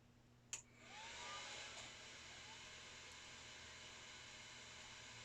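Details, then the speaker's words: 2006 Mac Pro saved from recycling, side panel off, powered on for the first time: a click at switch-on, then a loud steady airy rush as the fans come up and the hard drives spin up; normal startup, and it outputs video. "well I hear the hard drives spinning up and it certainly was very loud and it's outputting video"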